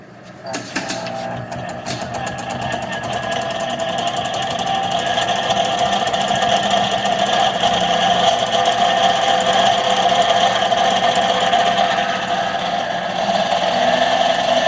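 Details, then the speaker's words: Monarch 10EE 30-inch lathe, first run after sitting about 20 years, running in back gear: steady gear whine with a busy rattle about four beats a second; back gear noisy, owner unsure if normal since his other 10EEs are noisy too. "so all my other ones are noisy too so i don't know if it's just the way back gear is on these things not really sure but it is noisy and back here"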